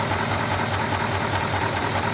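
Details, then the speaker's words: Rebuilt Ford flathead (59A) in pickup, old parts except new pistons, air filter just fitted, slightly smoky: smooth even idle with faint light ticking; minor mechanical noise, nothing worrying. "it's a little little bit of mechanical noise but you know those are all old Parts nothing was brand new in it except the Pistons"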